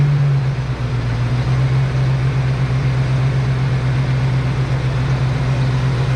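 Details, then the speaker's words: Ford Foxbody during base idle reset: steady low idle drone with no misses, idle speed rising as distributor ignition timing is advanced with SPOUT connector pulled; TPS reading unchanged, showing timing affects idle. "The car idled up, so what happened to the TPS? Obviously it changed, right? Look at that, guys. TPS never changed. So, this is what we've learned. Your idle is also affected by your timing."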